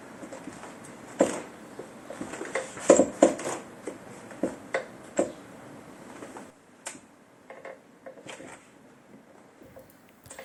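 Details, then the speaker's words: IKEA Markus office chair after opening the tilt mechanism and greasing it with Vaseline spray: rocking gives scattered light clicks and taps, no loud creak; slight residual clicking until the grease works in, far quieter than before. "there are still a few clicking some noises but not like before and this is only because the grease has to get in between the mechanisms"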